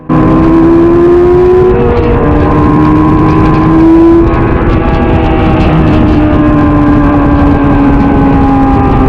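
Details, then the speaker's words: 1999 Yamaha R6 on a wet track day: high-revving four-cylinder scream wavers and sags under load as the bike loses power mid-session; a swollen battery was found afterwards, suspected cause. "And this is where the trouble started. Listen closer to the engine sound and you will hear us not running right. And this is why all the bikes start overtaking me here."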